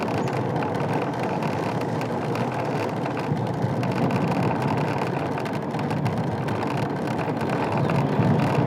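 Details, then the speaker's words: Ola S1 electric scooter ridden after service fixed the dashboard rattle that began after a 160 km rough-road trip: steady road and wind rush, no buzzing or rattling from the dash; panel now quiet. "जो थोड़ा बहुत आपको सुनाई दे रहा है mic में वो actually आपके कानों में सुनाई नहीं देगा बट आप माइक में नहीं यहां पर पकड़ा हुआ था इसलिए तो आपको थोड़ा सा नॉइस सुनाई दे रहा था तो एक्चुअल में वो नॉइस आपको सुनाई नहीं देने वाला है"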